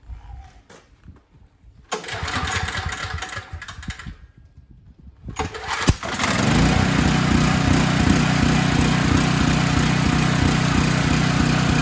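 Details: Storm Responder generator after Nikki carburetor float/needle repair and spark plug install, warming up: a couple of pull attempts, then the small engine catches and settles into a steady, even run.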